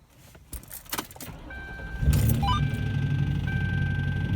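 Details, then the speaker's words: Lincoln Town Car V8 past 250k miles, restarted after breaking down: cranks and catches into rough idle with dull uneven knock about four per second from driver's side valve cover; no check engine light. Valve train issue suspected. Engine knock at start-up and idle. "hear that wonderful knock [Music] as you can hear it not good"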